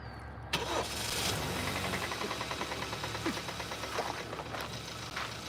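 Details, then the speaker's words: 2015 Kia Sportage EX 2.4L with poor acceleration, OCV/CVVT fault suspected: after cranking and catching, a quick light knocking rides over the idle; the knock is thought to come from low inside the engine, cause not confirmed. "Yeah, I'm thinking we have to locate that knocking sound."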